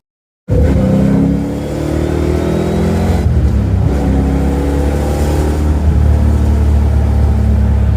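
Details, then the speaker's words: 1982 Ford Mustang GT, rebuilt 310 cubic inch (302 bored 60 over) V8, new straight-through mufflers, no tailpipes, test drive: deep loud V8 pulling under load with uneven, choppy exhaust beat; cam chop more audible than with previous mufflers. "You can hear the cam chop a bit more with these mufflers than you could the other ones."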